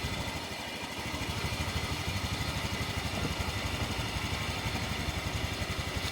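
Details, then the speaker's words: Honda Vario 150 scooter that had no electric start, only clicking: after the battery, previously below 12 V, is recharged, the starter works and it idles with an even quick putter, no misses; charging normal. "nyala double stater kembali normal karena sebelumnya tegangan aki kurang dari 12 volt ya pengisian normal ya"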